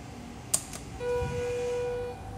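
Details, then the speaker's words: Schindler 330A hydraulic elevator with oil viscosity control active, car stays put; click then steady even motor hum about a second before shutting off, oil warming cycle; normal pump motor run. "watch this and you can hear the motors running and we're not going anywhere"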